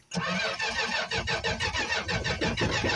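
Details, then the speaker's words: 1965 Plymouth Barracuda six-cylinder, cold start after sitting about a month, on choke: cranks and catches, then stumbles roughly about twice a second with uneven firing; fuel starvation, won't stay running. "Because it ran out of gas. I ran out of gas. It was running. We're having some fuel issues."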